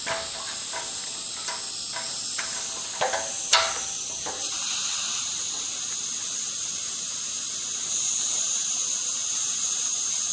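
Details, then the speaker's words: Worcester Bosch 38 CDi boiler heating system being refilled after draining, radiator cold at top: steady high hiss with spits and clicks as air escapes the radiator bleed valve, pressure gauge dropping. Trapped air in radiator. "There's a lot of air trapped there, and that means when the water comes up, the pressure gauge goes down, so you have to go and check the pressure again, make sure the pressure is up, otherwise you won't have enough pressure to bleed the system."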